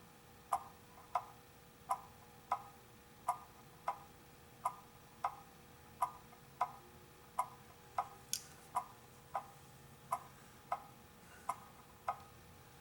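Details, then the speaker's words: Antique clock after cleaning and extra oiling, pushed the wrong way when setting the beat. Tick-tock at about ninety beats a minute with alternating long and short gaps and a clunky beat. The clock is out of beat. "hear that dick clunk tick clunk okay what's happened is it's out of beat and i pushed it the wrong way"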